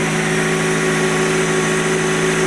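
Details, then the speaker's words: Honda CR-V 2004 with the 2.0 L K20, first fully cold start after repair for a knocking noise blamed on the timing chain and jumped balance shafts: a steady, even idle with a faint whir, no knocking and no body vibration. "Ну отлично вы видите того столько нету уже однозначно моторчик работает гораздо лучше мотор полностью холодный сейчас всё"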